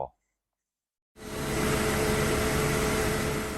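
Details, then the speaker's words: Mercedes-Benz M271 engine after replacing the cam sprockets (missing and worn teeth), timing chain and tensioner, running a few minutes: steady, even hum with no knocks, rattles or chain slap. Normal idle. "the engine has been running for a few minutes and everything seems to be in place no weird noises no issues during startup"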